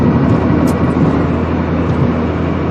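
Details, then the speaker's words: Honda Civic test drive after replacing front wheel bearings: steady road rumble and tire noise, no growl or hum rising with speed. The transmission is slightly noisy and a bent dust shield may be barely touching. Bearings sound normal. "But boy, the car sounds a hell of a lot better than it used to. It sounds a hell of a lot better than she used to."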